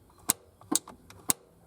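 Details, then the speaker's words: 1971 Triumph GT6 MK3, Laycock D-type overdrive, gear lever moved to the 3rd/4th position so the inhibitor switch allows engagement; three sharp, crisp clicks about half a second apart in a quiet cabin: overdrive solenoid engaging normally. "I put it over into the third and fourth position"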